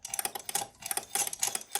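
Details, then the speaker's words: Eleks ANTS 600 relay voltage stabilizer, input varied via variac from 285 V down, lamp load on output: quick bursts of sharp dry relay clicks as it switches taps; normal switching. "нагадаю це релейний стабілізатор тобто якщо напруга змінюється він буде клацати"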